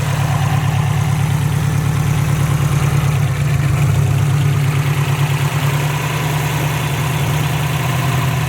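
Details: Subaru STI idling after both AVCS sensors were replaced to fix an AVCS fault; smooth, even low idle rumble, no ticks, knocks or misses; AVCS readings at 0, engine healthy.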